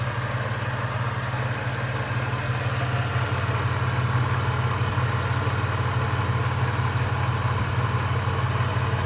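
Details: Toyota 3.4L V6 after supercharger install, warm idle about 8 minutes after cold start: fast, even light tick about three a second over a low hum, from the back; vanishes on revving; supercharger rattle, PCV or lifters suspected.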